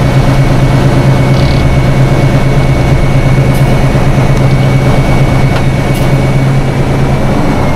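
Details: 1976 Tatra 813 V12 truck, restored after 20 years unused with new hoses, seals, oils and filters: deep even drone with a steady fan whine, no knocks or misses; normal smooth idle.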